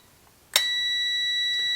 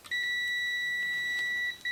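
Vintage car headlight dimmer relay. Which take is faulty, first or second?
second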